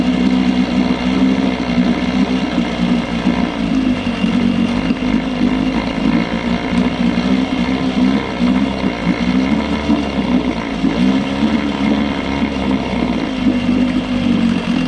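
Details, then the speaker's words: Johnson 6hp two-stroke outboard, compression and spark good, hard to prime: buzzes steadily at fast idle but won't pick up cleanly when revved. Lean bog on acceleration, attributed to the float set too low starving the bowl. "Unfortunately, it definitely has a lean log. Try to rev it up."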